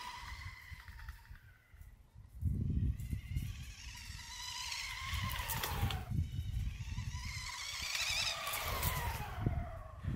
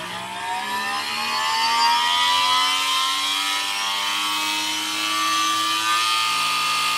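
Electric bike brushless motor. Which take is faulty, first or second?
second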